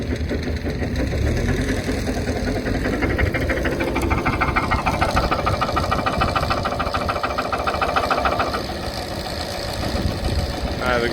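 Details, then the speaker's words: KTWO muckspreader behind tractor after repair for beater vibration, grease nipple refitted: steady drone with even churn from beaters, catching noise gone, no knocking; running smoothly. "noise has gone, whatever that was catching."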